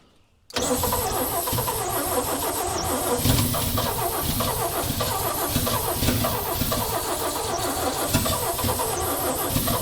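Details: 1965 Chevy rollback with rusted cylinders, rebuilt head and oil in cylinders, run on ether: catches and runs ragged, irregular and stumbling, maybe three cylinders firing instead of one, burning oil off. Unconfirmed.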